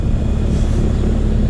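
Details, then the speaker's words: Old AC condenser unit after compressor (Herm) and fan wires were moved from wrong terminals to correct ones, line now cold: steady even hum from compressor and fan, no clicking or buzzing; running properly. "had the compressor the Herm and the fan on the wrong terminals and now it's running the way it should be"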